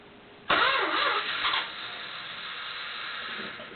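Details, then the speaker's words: 1973 Chrysler New Yorker Brougham cold start: sharp high-pitched starter whine swoops up on engagement then steadies; normal for its reduction-gear starter, engine then runs smoothly. "did you hear that somewhat painful noise from the starter motor it's because these Chryslers have a reduction gear starter motor to spin the engine extra fast so that noise is normal for these vehicles"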